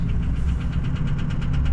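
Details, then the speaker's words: Ford Powerstroke diesel just reassembled, started at about 26 to 30 below with boost present: sharp, regular knocks about eight per second over a heavy diesel rumble from inside the engine, cause unknown. "oh uhoh something doesn't sound good whatever that is is not good"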